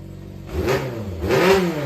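Short blips of throttle from a steady idle, the revs rising and falling cleanly with no knocks or rattles; engine sounds healthy.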